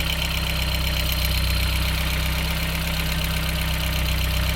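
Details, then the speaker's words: VW Corrado 1.8T, first start after winter, coolant low, possibly from a hose removed over winter: loud steady idle with a faint uneven pulse about four per second, sounding close to stalling; rough idle, cause not confirmed. "Sounds like it's gonna die. Oh, it's taking quite a lot."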